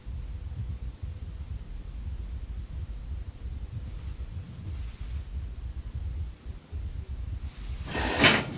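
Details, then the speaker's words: Washing machine's cold water valve snapping shut: a low rumble, then one sharp bang as the whole pipe shakes (water hammer); lowering the house water pressure is one fix. "okay you heard that noise com from the PIP we're going to get closer we're going to see the action over here you see the whole pipe shap that's from the cold water valve"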